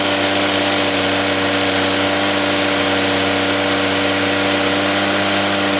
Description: First start after a rebuild on a 2JZGTE engine in an SC300.